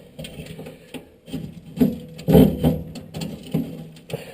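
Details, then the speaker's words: Whitfield pellet stove auger with its motor removed, pellets jammed inside the tube and sawdust coming down. Uneven grinding clunks and creaks in bursts as it turns. Auger binding from jammed pellets. "normally this runs pretty cleanly but as you can hear something is causing this thing to bind up really bad"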